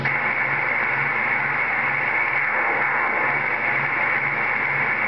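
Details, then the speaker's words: CB radio receiver, continuing after transmitting: steady loud hiss with faint low pulsing beneath; operator suspects a reflection of his own signal, cause unclear; receiver whooshing noise. "Sounds like a reflection of my signal, dude. It's really weird."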